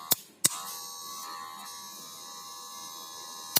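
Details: Cordless hair clipper switched on, then a harsh, tinny high buzz that holds steady until switched off; worn, loose blade cam letting the blade rattle, noise softened after packing with sponge.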